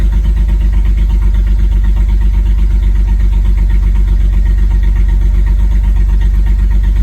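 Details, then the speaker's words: BMW Z4 E89 35i cold start, about 39 seconds in: cold idle with a strong, regular lumpy thump about four times a second, the car rocking and a light going off; misfire. "Yeah, it's not happy. As feel the car rocking."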